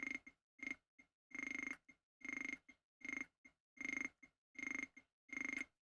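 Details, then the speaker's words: Atari 520ST with no mouse: short bursts of buzzy error clicks, roughly one a second, like dialing an old rotary phone, sound as arrow keys are pressed without holding Alt to move the pointer. "Um, it just makes that noise when I try to move the arrow keys. You have to hold some key down. Just says it sounds like it's dialing an old rotary phone."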